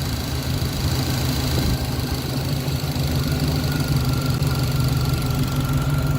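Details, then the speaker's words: 1966 Pontiac Catalina wagon V8 (Sniper-style throttle body with IAC/TPS) idling with rear wheels off the ground, coming down from about 800 rpm toward idle setting as bypass air is adjusted; low, steady burble, no miss or knock: normal idle. "Okay, so now we're getting somewhere. See, we're almost to our idle setting."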